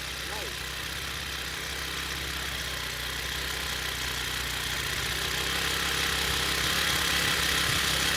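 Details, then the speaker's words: Honda four-stroke weed eater after cleaning carbon buildup from the spark plug tip, which had prevented spark: steady, even smooth high-pitched hum at constant speed; engine runs normally. "so that's why I wasn't getting spared but after cleaning that with a little sandpaper swipe it off and she started right away okay that was easy fix"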